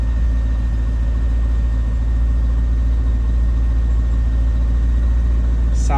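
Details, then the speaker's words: 1999 Chevrolet C5 Corvette V8 just after an oil change, about 0.4 quarts under the 6.4-quart capacity: deep, steady idle rumble with an even beat and no knocks or ticks while oil pressure builds, sounding good. "Sounds good. Just gonna let it run for a minute here."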